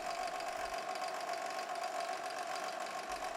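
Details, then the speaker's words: 2014 Chevrolet Cruze 1.8L four-cylinder, engine running, stethoscope on the water pump: steady mid-pitched whine, no knock, confirmed coming from the water pump; worn water pump bearing, before replacement of the pump and timing belt. "this particular vehicle has a bad water pump take a listen i'm using a stethoscope to locate the source of this noise"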